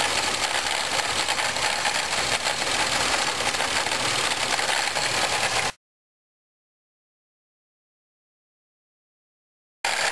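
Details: 1997 Pontiac Grand Prix GTP idling: harsh metallic rattle/grinding about four times a second from the supercharger area, louder in Drive, gone on acceleration; confirmed supercharger coupler.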